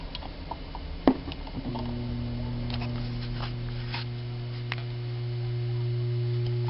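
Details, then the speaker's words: 2001 Altec Lansing AVS500 computer speaker system after new capacitor fitted: sharp pop then steady low hum with faint higher buzz; suspected DC passing through circuit, subwoofer cone pops, middle IC and a resistor running very hot, possible short. Amplifier hum. "We still have a bad DC hum, and I'm thinking it's passing voltage through the circuit, because every so often you'll see this subwoofer pop up and down."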